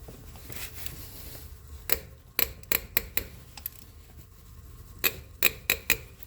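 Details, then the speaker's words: 2005 Ford F150, third spark plug being removed: sharp, irregular creaks and snaps during each wrench turn with quiet between, a seized plug binding in the head threads. "So this is the third spark plug, and it's starting all its crackling and snapping just like I described."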